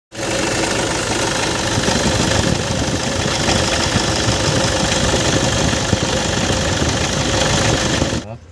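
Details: Toyota Innova idling with a steady mid-pitched hum from a worn alternator bearing; the fix is replacing the bearing.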